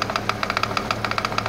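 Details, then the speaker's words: 2008 BMW 335i twin turbo at idle, listened at the power steering pump and hose; sharp rapid knocking about eight a second, vibration felt through the hose; pump suspected, belt removal planned to confirm. "Oh yeah, you can definitely feel that through there. That's knocking like crazy right there at the pump. That's what I told him that."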